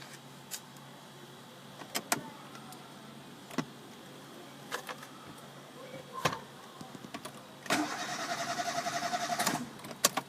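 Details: Chevrolet Spark, crank no start with code P0342, failed camshaft position sensor: quiet clicks, then about two seconds of even starter cranking that never catches.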